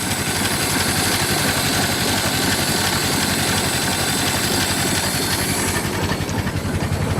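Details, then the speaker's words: Ford Model T after cold start, idling with spark fully retarded: slow, steady idle with even low firing pulses, no coughing or spluttering; indicates a well-tuned engine. "a good indicator of a well-tuned Model T engine is it should still be able to run with the spark fully and on idle and the engine should still run without coughing and spluttering which as you can see it does"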